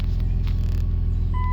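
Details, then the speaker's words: 2003 Dodge Grand Caravan 3.8L idling cold with a heavy, steady low hum from a failing alternator, which also caused erratic transmission and speedometer behavior once warm; fixed with a used alternator. "I don't know if you can hear that humming or not it's got a real bad hum in it"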